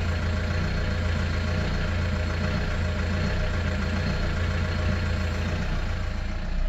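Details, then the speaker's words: Ford car bought from an auction as dead, started after reconnecting the battery: cold engine idles with an uneven, lumpy, wavering throb; rough running, owner suspects a damaged engine. "even cold engine is working not properly"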